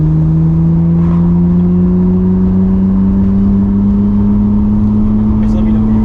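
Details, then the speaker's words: Nissan R32 Skyline GTR with a freshly rebuilt engine, on a remote-tuning pull in third gear: clean, steady rising pull under load with no knocks or misses; runs smooth and healthy. "Yeah, it feels good. It's real fucking smooth."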